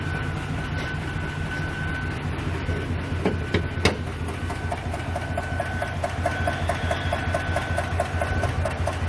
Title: 2021 TAHOE, YUKON Engine malfunction lamp on. Misfire dtc and ticking noise.